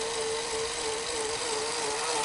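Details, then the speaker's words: Sony SL-HF900 Betamax VCR after full service, reel motor tone wavering up and down during fast forward instead of holding steady; suspected failing motor, slightly better but still faulty, to be replaced. "sounds a little better but it's still not working yeah you see how oops doing it again"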